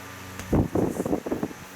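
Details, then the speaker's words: Old Westinghouse oscillating desk fan on high, motor recently reassembled: steady low electrical buzz under the airflow, drawing 0.62 A. The buzz is abnormal but the fan is not shocking and is deemed safe; cause unconfirmed. "yeah you can hear the fan definitely does make some funny noises that it probably should not be making like that buzzing but it's safe"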